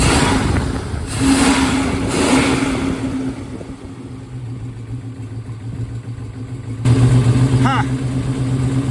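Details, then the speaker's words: 1970 Plymouth Hemi 'Cuda V8, cold-blooded, running on seven cylinders: uneven, lumpy beat that doesn't smooth when revved; number one cylinder misfiring despite smoke cloud on startup; cranking compression sounded great so owner doubts a mechanical cause. "thought the cloud of smoke on Startup might be promising but number one still isn't winning with us now I'm not thinking mechanical issue because cranking compression sounded great"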